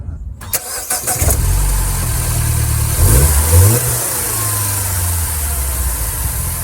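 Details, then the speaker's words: 2nd-gen Mini Cooper at idle with the drive belt friction wheel disengaged and locked: cranks, catches and settles to a smooth even idle, steady low rumble, no knocks or squeals; normal baseline before diagnosing a belt missing chunks. "Okay, so those were normal sounds."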